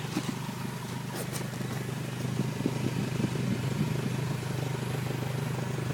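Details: Exhaust leak on a 2003 Honda Civic Si: quiet idle with a fast, light puffing tick over the engine hum, the rhythmic chuff of an exhaust leak.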